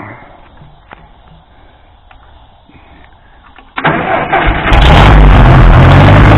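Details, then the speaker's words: Case 300 tractor bought at salvage auction, unknown history: cranks, catches and settles to loud steady low rumble, no knocks; still runs fine. "Yeah, it still runs."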